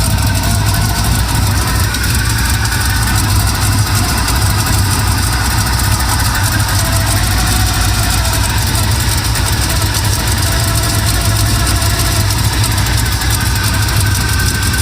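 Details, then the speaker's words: K5 Blazer squarebody V8 with headers at idle after engine fan replacement; loud steady idle with fast fine ticking keeping pace with engine from a header exhaust leak; timing still needs adjusting. "Got an exhaust leak over there. Well, I got headers, so yeah, I got an exhaust leak."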